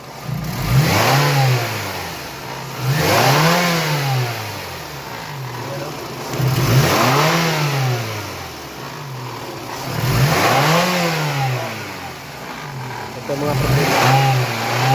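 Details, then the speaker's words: Toyota 2AZ-FE revved about every three seconds: a rough rattle rides on each rise in revs, with strong engine vibration. A faulty or missing balancer is suspected, not confirmed. "Problema nito vibration kung vibration sa makina. Malakas maybisyon sa makina."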